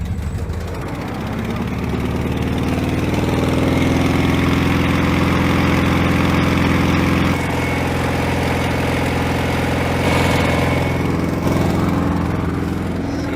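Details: 1970 VW Bay Window Bus (T2, built 1969) air-cooled engine running again after about 10 years sitting; low uneven thrum settling into a steady idle with occasional dips, no brakes; normal running.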